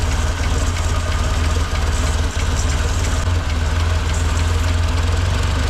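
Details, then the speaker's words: 1958 Lull telehandler/cherry picker revived after 15 years parked, idling with a steady low chug and faint light tapping; it keeps running only on choke and dies when released, so the carburetor mixture is off. "here's the problem I'm having to be the carburetor for the carburetor if I let go of this it dies but at the same time if I fix this then it won't idle up because it has to have the fuel to air mixture"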